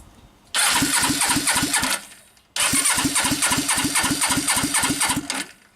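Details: Suzuki GS500 project bike after engine reinstall, plugs in: two starter bursts with even steady compression pulses about four a second; turns over healthily but never fires.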